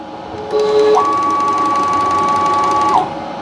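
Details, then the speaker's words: PM-727M CNC conversion: Y-axis stepper motor whines with a quick faint regular clicking, not bearings or ball screw lubrication but a worn motor coupling insert rubbing. "and I guess it's causing a rubbing. And I thought it was pretty interesting. actually that this would make this clicking sound."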